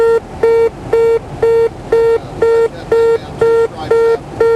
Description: Pilot was so busy gabbing on final that he failed to drop the gear.. To those involved in aviation, this is actually more common than you might think. You hear this horn enough times and it becomes background noise.